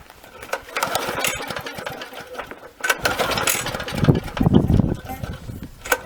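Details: Victa 375 lawnmower with Briggs & Stratton engine, long stored, spark plug wet inside and smelling of petrol: repeated uneven pull-cord bursts with brief coughs but never catches; crank no-start.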